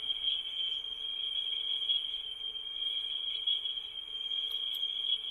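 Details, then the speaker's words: Vintage Mayfair tape recorder playing a test tone, measured at 4% then 1% sensitivity: about 0.34% RMS, 0.7% peak, much better than the Brownie. A clean high tone with only slight wavering; good speed stability. "uh 0.3.4 percent rms and 0.7 peak significantly better than the brownie the mayfair is uh doing a pretty good job"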